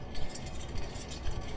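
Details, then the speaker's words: 2007 Infiniti M35, driver-side front hub spun by hand with tire removed, little play felt with tire on: faint, irregular dry rattle with light clicks from bearings rolling inside; worn front wheel bearing. "But if you hear that little rattling, those are the bearings in there turning around. So we know this one got a bad wheel bearing."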